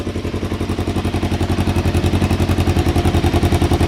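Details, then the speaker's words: Cheap learner motorbike first start in neutral with manual choke on, engine cold: loud, uneven lumpy thumping idle pulsing about three to four times a second, unsettled until warmed up. "oh yeah oh wow she starts straight up obviously a little bit cold a little bit lumpy um but if we give her some give her some choke and give her some time to warm up"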